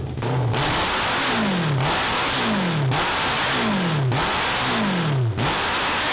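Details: 1982 Honda CB750 carbureted 750cc four (cross kart), idle fine: revs climb then fall back every second or so, never pulling cleanly past 4000 rpm. It still doesn't get enough fuel and is running lean at high rpm.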